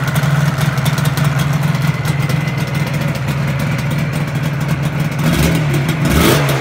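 Crisp two-stroke idle with blips of throttle that rise and fall cleanly. Firing is steady, with no knocks or misfires audible.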